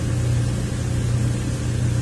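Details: 2003 Ford Windstar 3.8 V6 idling in closed loop, long-term fuel trims around +22 and +14 percent, misfire diagnosis underway: deep, even idle hum with steady low rumble and no stumbles or missed beats.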